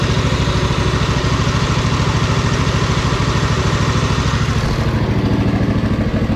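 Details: Poulan Pro zero-turn mower with sealed hydros, first run after fixing choke lever: steady even thumping at a settled idle with no misses or knocks; twin running fine.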